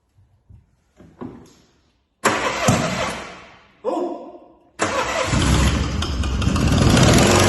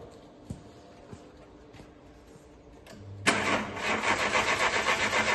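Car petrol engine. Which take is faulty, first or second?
second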